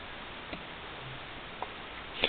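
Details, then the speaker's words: Shaft-drive motorcycle, rear wheel off the bike on a balancing stand, about 15,000 miles on the tires, quiet garage: faint irregular light tick about once a second as the wheel spins; owner suspects a worn rear wheel bearing. "those kind of little noises like that send alarms off to me"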